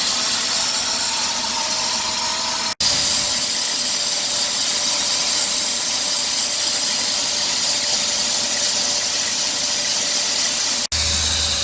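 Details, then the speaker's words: 2003 Dodge Grand Caravan 3.3L, 372,528 miles: loud high hissing squeal and chirp increasing toward 2000 rpm, briefly stopping then returning; worn serpentine belt slipping, after idler pulley, tensioner pulley and power steering pump were already replaced. "so and as you can notice the noise stops now the noise is returned"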